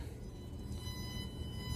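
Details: Blue Yeti USB microphone headphone jack used as line output: thin steady whistling tones over a low rumbling hum, ground loop noise; fixed with a $9 part.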